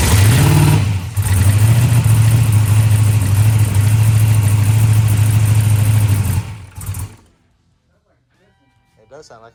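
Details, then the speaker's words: Fox body Mustang ProMod race car, first start after rebuild, fuel nearly empty: loud V8 held on throttle surges and stumbles unevenly, missing badly; throttle feels hard then easy; engine misfire. "missing bad right"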